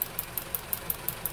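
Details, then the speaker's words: 4-cylinder car idling on LPG, engine bay, before repair: sharp even ticking about five a second from worn STAG WC-03 gas injectors, louder than normal; engine jerked on acceleration and shook at idle; injectors replaced with new set. "No jest jest jest słychać jak cyka one zawsze cykają wtryski od gazu ale nigdy za głośno nie cykał"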